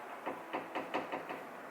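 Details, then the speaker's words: Mercedes G63: six dull hollow knocks, about four a second, from the hood shifting on worn rubber contact points; the play makes noise over bumps, heard inside the cabin, and stops when pressure is applied. "there's a little bit of play here little bit of play here so when vibration comes it makes noise"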